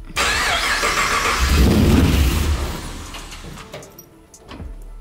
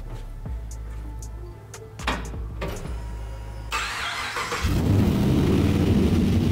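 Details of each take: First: 1959 Chevy Apache pickup with LS3 after custom rewiring: starter churns steadily for a couple of seconds and winds down without catching; crank-no-start caused by the starter enable wire at pin 52 being incorrectly hooked up. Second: 1959 Chevy Apache pickup with LS3 V8, first key start after full custom rewiring, turbos not hooked up, fuel pressure just adjusted: several cranks and catches, then a steady deep even rumble with no misses or knocks; normal running.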